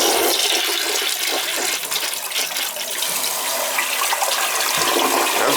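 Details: Toilet the owner complained wouldn't flush, tested by a plumber: a strong steady rush of water tapering off smoothly with no gurgle or hesitation. It is a normal flush, and the tank now refills fine; the float sometimes needs adjusting.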